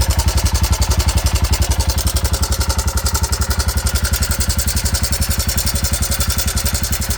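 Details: 2009 Arctic Cat 400 at steady idle with a strange noise: a sharp, very even low thump about 3.7 times a second and a tinny clatter on each beat.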